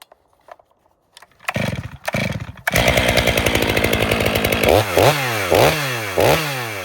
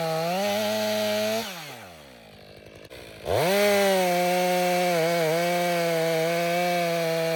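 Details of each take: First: Stihl MS 500i with full-wrap bar, warmed up, making a test cut: revs dip and recover about every second, bogging rather than pulling through; the chain is dull. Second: Stihl MS 500i chainsaw after sharpening the chain with a two-in-one file: high two-stroke whine dips under load through the cut and recovers cleanly; cutting well, better with that chain.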